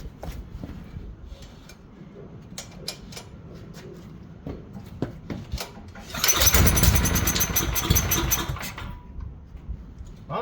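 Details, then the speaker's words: Tecumseh generator bought as non-running with suspected fuel issues: after a few pulls it catches, runs briskly about three seconds, then dies abruptly. The oil is slightly low, so the low-oil cutoff is suspected; the sensor wire will be disconnected next. "oh no well that was it okay so I checked the oil again it's a tiny bit low just in case I'm going to go ahead and take off the low oil sensor wire and see if it stays running"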